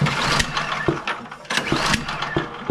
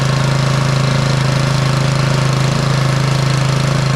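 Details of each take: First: Bolens (MTD) snowblower with PowerMore 179cc engine, no-start: sharp irregular pops through the intake on each pull with no catch; previously suspected carb issue, traced to a stuck-open intake valve causing intake backfire. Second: Bolens snowblower (MTD-built) with Powermore 179cc single-cylinder engine, started on choke after repair of an intake valve stuck from moisture that caused popping and no start; steady, even chugging, no popping or misfires, normal running.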